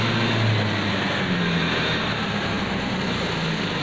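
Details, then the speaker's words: 2020/2021 Honda PCX scooter, fuel-injected, low mileage: engine holds a steady high rev with no throttle input and never settles; runaway high idle, suspected air leak at hoses, injector seal or intake manifold. "Oke teman-teman, ternyata motornya masih kencang teman-teman. Nah, gasnya masih kencang ya."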